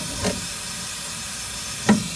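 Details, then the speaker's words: Sanyo one-door refrigerator, not cooling despite freon recharge and new condenser, while refilling: constant thin hiss with two sharper puffs from a leak, apparently near the top; refrigerant leak. "Nah di bagian sini nih ada suara the Sis ya wis ini teman-teman ya tuh ada suara yang bocor"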